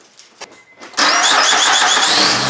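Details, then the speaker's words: 2006 Honda Ridgeline 3.5L V6 after replacing the serpentine belt and tensioner: a short crank, then a clean, smooth, quiet run with no squeal or chirp. It made choking noises before from a bad pulley; normal running. "so so hopefully you could hear that it's quiet it was making a lot of choking noises before from the pulley being bad but now it's working well"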